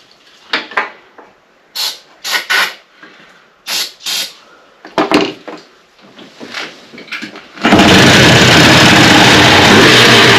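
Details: 1996 Polaris Xplorer 300 ATV, pull-started because the starter seems bad: several short rope pulls, then it catches and settles into a steady, even run; starts and runs fine.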